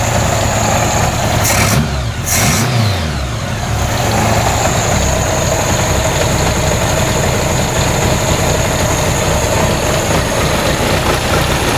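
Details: Engine with VW plenum and 1-inch straight-shot intake runners, idling before a few pinhole vacuum leaks were closed: uneven lumpy rough idle with a faint steady hiss from the leaks.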